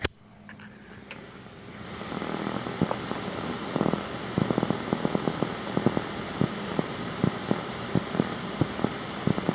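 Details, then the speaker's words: Musketeer III vacuum-tube PC audio filter warming up, speakers at full volume: steady hiss with faint irregular sharp pops and ticks, interference picked up from the computer itself, not audio signal. "It's not to sound, it's some kind of interference for just the computer itself. It's like a faint, little popping noise."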